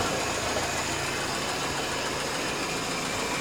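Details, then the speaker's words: WWII Willys Jeep idling up to temperature after a carburetor replacement, with the mixture adjusted and the float needle/metering rod reset: steady, unhurried idle with an even beat and no misses or rattles. Normal idle; road fine-tuning is still pending. "so we're at the point now where the carb is on the Jeep and it's far up and it's running not too bad"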